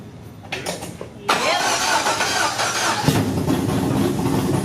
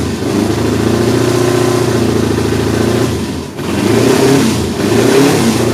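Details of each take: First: LS V8 swapped into Datsun 280Z, after cam gear replaced: engine catches after cranking and settles into an even idle with no misfire; all 8 cylinders now firing, though oil pressure reads 0 at idle. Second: Datsun 280Z with a freshly swapped LS V8, run at a slightly raised RPM to clean the plugs. It lopes and stumbles unevenly as it revs and settles, missing beats from dead cylinders. Headers were checked by hand; multiple cylinder misfire.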